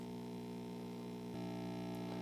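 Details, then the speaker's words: 1960s Zenith MJ1035 AM/FM radio brought up to 120 V: low steady mains hum from the speaker with volume turned down, louder as voltage rises; capacitor issue suspected, possibly an open filter capacitor letting ripple through. "okay so it actually works but it sounds like we probably have a capacitor issue or something"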